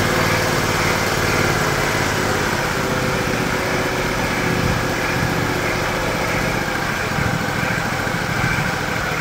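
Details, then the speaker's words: John Deere LX178 mower engine with new replacement carburetor, idle speed adjusted down with long screwdriver: steady smooth idle with no hunting, misses or surging; normal idle. "down wow that's an impressive engine"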